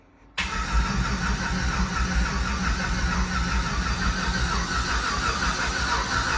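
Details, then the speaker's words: Red truck rebuild, starter jumped because of wiring issues: the starter spins the engine at a steady churn with no firing at all on residual fuel only. Cranks, no start, no fuel pressure; after the fuel-pump relay was jumped it started and ran. "mhm okay nothing there uh jump the fuel pump that's what I'm do next yeah yeah I I thought there might be some residual fuel there"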